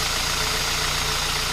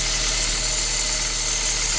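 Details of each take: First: Kia Ceed 1.6 petrol 2007 after tensioning alternator/accessory drive belt two turns and belt spray, around +10°C and damp: smooth steady idle, no belt squeal or chirp; squeak gone for now, belt may still need replacing. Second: 2007 Kia Cee'd 1.6 petrol engine at idle: thin high squeal over the engine, constant with revs, from the alternator and accessory drive belt; fixed by tensioning and belt spray, pulleys checked without noise.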